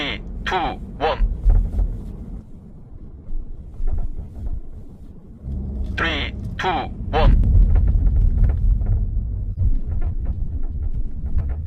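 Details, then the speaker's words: Quick, uneven tapping rattle from the rear seatback latch over rough roads and speed bumps. The seatback hooks to a body latch with no recline adjustment, as on the Sportage R, Tucson ix, QM6 and Ray. A gap between latch and hook causes the rattle. "어 이렇게 따닥따닥 하는 소리인데요 어 특히 노면이 안 좋거나 방지턱을 심하게 넘었을 때 어 소리가 많이납니다"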